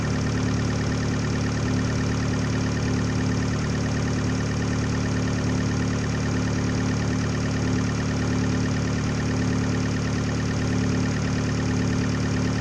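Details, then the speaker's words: 2013 Fiat 500 Abarth turbo four-cylinder on its first start after a DIY Eurocompulsion front-mount intercooler install. It holds a steady, even idle drone with a low hum and no knocks or misses and idles smoothly. "walkthrough, making sure everything's connected. Alright, let's fire it up. First start with an FMIC."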